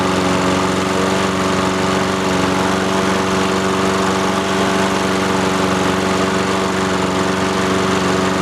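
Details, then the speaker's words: Free roadside Honda-engined lawnmower starting after its fuel valve, previously off, was opened and choke used: settles into a steady, even putter with no misses or knocks; it works and sounds healthy. "sweet cool that's sick it works"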